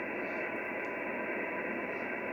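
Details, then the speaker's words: Heavy hailstorm in Tangambalanga, North East Victoria: loud steady hiss and crackle swamps the HF receiver, noise floor goes ballistic (S6 on untuned 20 m antenna); owner suspects rain arcing on dirty transformer insulators nearby, clearing within minutes as rain passes. "This only happens every now and again, where all of a sudden it gets as dark outside, and this noise floor just goes ballistic."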